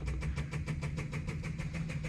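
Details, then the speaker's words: 1964 Ferrari 250 Lusso electric fuel pump run with fuel line disconnected: steady rapid ticking about six per second with low hum, straining to build pressure but no fuel coming through; owner suspects the tank is empty. "so uh what you'll hear is the fuel pump going on right and as you're watching this you can hear it you can feel it kind of trying to come up a little bit of pressure but nothing's coming through"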